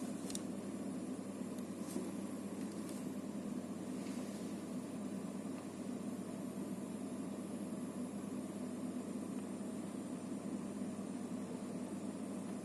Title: Antec TP650 PSU Hissing noise